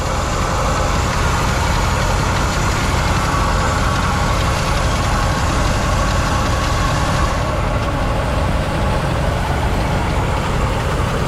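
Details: 1970 Chevy C-40 mechanics truck, sat 15+ years, revived: smooth steady low idle rumble with no skips, knocks or surging; engine runs great, though not charging and not breaking loose.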